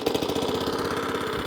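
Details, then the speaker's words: Suffolk Punch Atco Allett mower, Kawasaki FJ100 single-cylinder, after a full carb clean; started with a bit of choke (pull cord needs replacing). Quick, even putter with no misses while cylinder and drive engage; running healthy. "Drive works. Cylinder. Cylinder. Cylinder and drive. Yeah, baby. That's nice."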